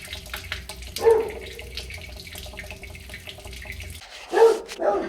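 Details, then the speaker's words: Faucet spitting and sputtering unevenly with a rattling water pipe in a rental property, from an air bubble in the line; air still present after refilling the chamber and bleeding all taps; dog barking. "okay there's an air bubble in the line so you gotta fill up the chamber back"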